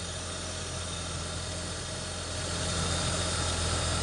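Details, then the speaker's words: BMW E39, engine B28 six, idling after valve cover gasket replacement for an oil leak onto the header: steady, even idle with no misses or shake, plus a light whirring from the belt tensioner bearing. Otherwise normal. "ada getar enggak ada apa memang berisik dari ini ya E laker tensionernya dia ya"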